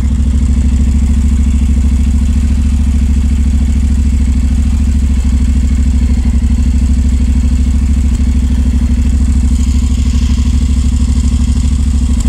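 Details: 2019 Honda NC750X twin, cold start, rough since the first 300 km: the cold idle stumbles with uneven exhaust pulses. Cold-start misfire traced to zero valve clearance on 5 of 8 valves.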